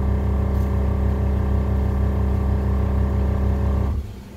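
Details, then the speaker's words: 1972 Chevy truck air suspension: after dropping front and back airbags, the air pump runs with a steady, even buzzing hum and shuts off cleanly after four seconds; normal compressor refill. "that just dropped the front that just dropped the back and you can hear the pumps run"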